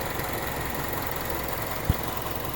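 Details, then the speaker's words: Mazda CX-7 2.5 L DOHC 16-valve variable valve timing engine, 126,000 km, cold start at -9 degrees: steady, even idle with smooth fine patter, no knocks or stumbles; normal cold-start idle. "this engine's done over 126 000 kilometers and she's still going strong still have the original battery too but yeah burning like a kitten in fact it sounds like a sewing machine"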